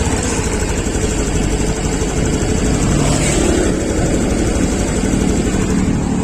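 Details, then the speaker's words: 2021 Honda Beat Deluxe after throttle body cleaning and idle reset via DLC mode 1, to address hesitation on throttle: steady, even idle with a smooth low throb, no misses or surging; idling normally. "dietting mode satu saja dan setting rpm-nya en kali putaran itu udah cukup udah enak seperti ini ini stasionernya anda bisa dengerin sendiri ya"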